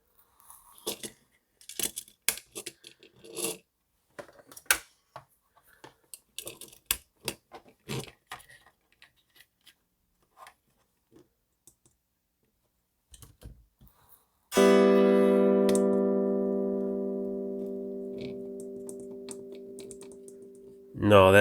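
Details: DigiTech Bad Monkey Tube Overdrive pedal, board exposed, footswitch pressed directly by finger after suspected worn rubber actuator: handling clicks and taps, then a clean undistorted chord; only dry signal, no overdrive effect.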